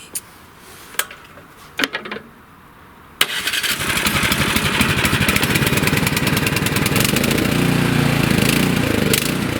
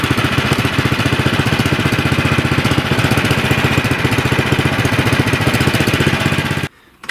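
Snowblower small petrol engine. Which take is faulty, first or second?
first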